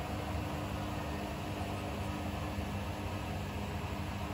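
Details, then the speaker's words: Bosch Serie 4 washing machine, new, about four minutes into the final 1,400 rpm spin with a minute to go: steady motor whir, low hum and faint hiss easing smoothly as the drum winds down, no knocks or rumble. Normal spin wind-down. "a minute to go just wandering down from this last final 1,400 rpm the spin she's been going for about probably about 4 minutes"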